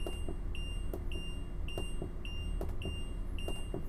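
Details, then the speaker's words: Winnebago motorhome with the Power Jack leveling system: high, clean beep repeating about every half second, the warning buzzer that the leveling jacks are still down; it stops when the ignition key is turned off. "As you can hear the beeping sound, that is a warning buzzer letting you know your jacks are down, so you don't accidentally drive away with your jacks extended."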